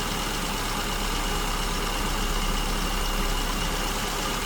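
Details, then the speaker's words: SU-carburetted car at idle while richening mixture from lean, lambda about 0.96 to 0.97: engine speed picks up and settles to a steady even idle with no misses or hunting; correct mixture found. "Okay, I'm adding fuel. You can hear the engine speeds picking up. Still fluctuating."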